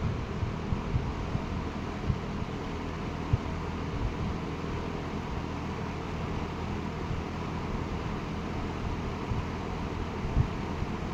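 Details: Late-1960s Eskimo 3-speed all-metal box fan on 120 V, medium speed drawing 1.8 A: steady even airy whoosh with low hum underneath, no ticking or bearing growl; running smoothly.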